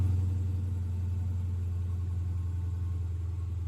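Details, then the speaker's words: 2015 Dodge Challenger 392 V8, bought as a non-runner, first start after days of battery charging, check engine, airbag and oil-change lights on: deep, even rumble easing from fast start-up idle into a smooth lope; started right up, normal idle. "So it sounds like it, you know, started right up and it's idling down."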